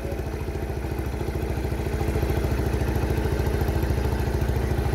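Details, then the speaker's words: 1978 Honda Cub 70cc, original engine, kick-started without throttle after refuelling: small single idles evenly, about three and a half beats a second, very smooth, no cam or rocker ticking from the top end; engine is healthy and strong. "máy cực kỳ êm luôn nha các bạn. Đầu cam cò không kêu nha. Máy rất là mạnh."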